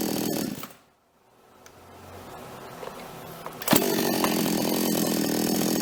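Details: Toyama TCS46H chainsaw after carburetor cleaning and adjustment, bar and chain refitted (previously bogged and died when revved): quiet spell, then a strong, even high-revving two-stroke howl while cutting, no bogging; normal cutting under load.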